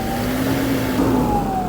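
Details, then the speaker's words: Toyota Fortuner diesel, owner complains of a very noisy turbo that was previously removed, with its gasket replaced: high siren-like whistle that slides down in pitch as revs fall after a throttle blip; turbo whine. "Pakinggan natin yung ingay ng turbo, no? Sige nga, paki-revolution mo nga. Parang sirena."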